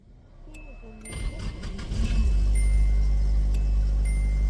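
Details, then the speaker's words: SR20DET-swapped S12 idling after sealing the exhaust-to-turbo dump pipe joint with JB Weld sealant and gasket: loud raspy puffing idle with extra exhaust rasp; exhaust leak remains at a hole in the muffler, exhaust felt by hand. "was still sounds like I have an exhaust leak cuz I do the issue remains right down there if I put my hand in I can feel all kinds of exhaust"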